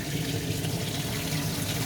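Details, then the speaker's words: DIY bakki shower pond filter of three 51-litre boxes, piped and insulated, no media yet: constant hissing splash of water falling hard into empty trays; very noisy, owner hopes media will quieten it. "this is bloody noisy with no media in there i'm hoping that quiet and stand when i put the media in"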